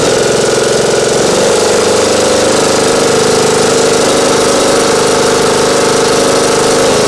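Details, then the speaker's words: Craftsman YT 3000 lawn mower, previously had cam replaced, came back not cranking, Nikki carburetor needing full choke and little throttle to start: steady even drone at constant pitch, no dips or stumbles; running smoothly now. "well seems to be running all right now all right turn it off"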